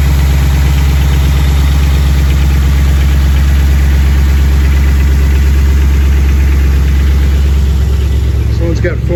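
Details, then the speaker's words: Fuel-injected squarebody Chevy V8 plow truck started for the first time in decades, cold. Deep steady idle with no misses; good oil pressure, alternator charging, almost 20 in vacuum at idle. Cold piston slap expected to fade when warm. Normal idle. "got great oil pressure alternators of charging not much fuel almost 20 lb of or 20 in of vacuum at idle nice"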